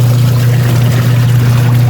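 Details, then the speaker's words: Eurotech washing machine after gearbox replacement: smooth even low hum with water sloshing, no grinding or knocking; timer takes about 10 seconds to return and drum can no longer be held by hand, quiet healthy agitation. "Halos 10 seconds ang kanyang timer kaya ang ganda lang kanya mag ganito ang timer niyo matagal bumalik halos 10 seconds maganda maglabayan yan pag ganyan wala na siyang ingay"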